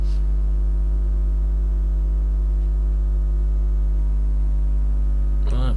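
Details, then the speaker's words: Steady low electrical mains hum with a buzzy edge, caused by an earthing fault during a live repair of a Novoferm three-phase industrial rapid roll door controller. "Right, let's try and get rid of that buzzing sound. Yeah, let's get rid of that noise. Yeah, I've got an earthing fault there."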